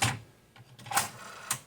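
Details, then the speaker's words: Sony TC-K333ESX three-head direct-drive tape deck under repair, cassette inserted: a few sharp clicks about half a second apart as transport grabs the cassette and rewinds slightly; normal loading. "Ele volta um pouquinho da fita, Até aí tudo bem. Normal."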